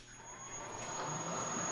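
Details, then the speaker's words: Abandoned Bridgeport milling machine spindle motor run from Teco Westinghouse L510 VFD, 240V single phase to three phase, first run forward: smooth whir rising steadily in pitch and volume, no grinding or knocking; normal spin-up. "okay she starts turning on so that's cool good very interesting"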